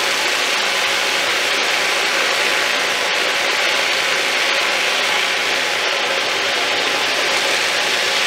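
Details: Thumlers UV18 vibratory tumbler, a little over half rocks plus ceramic media, water and 4 scoops 120-220 grit: steady even gritty rattle of churning media, no knocks or surges; normal operation.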